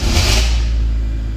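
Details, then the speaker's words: 2002 Hyundai Accent, injector petrol, previously crank-no-start with injector circuit low codes (P0261/P0264/P0267/P0270). Once 12V was confirmed at the fuses, with no external supply, it starts cleanly: a short burst of revs, then a smooth low idle. "गाड़ी start हो गई ठीक है गाड़ी में इतना fault था"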